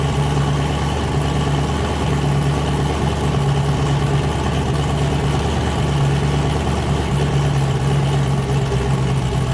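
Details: Boosted car "James Brown", new cam, started after 23 psi blew a coupler off and damage was feared: loud lumpy idle with a steady low chop, all cylinders firing evenly. Normal choppy cam idle, sounding healthy.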